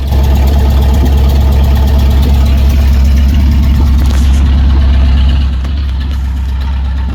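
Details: 1955 Dodge with a 70-year-old eBay-sourced transmission, warming up at idle in neutral; deep, steady low rumble with even firing and no knocks or slipping noises, good oil pressure; transmission fluid noted low. Normal idle.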